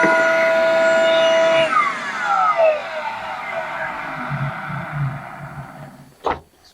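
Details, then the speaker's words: Ridgid 9-gallon plug-in shop vacuum runs with a loud, steady, high-pitched motor whine, then shuts off and coasts down. The bearings sound hammered (worn out). "But this thing is so loud and the bearings, as you can hear, are hammered."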